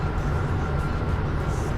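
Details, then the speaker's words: 2011 Nissan Sentra driven at steady road speed after the back-right wheel hub was replaced: only low, even tire rumble, much quieter, and the hub-bearing drone is gone; seems fixed. "the noise does appear to be fixed. I mean, I do have some road noise left from the tires, obviously, but it's much quieter than before I'd replaced the hub. There's no more drone coming from that back right wheel."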